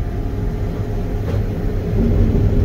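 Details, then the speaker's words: Combine straight-cutting lodged, tough canola in the evening: deep, uneven rumble with heavy thumping as crop stuffs the header and plugs again, then drags out of the back of the header. Yield is about 60. "yep Rumbles uh huh I don't like z Oh what do you know it again"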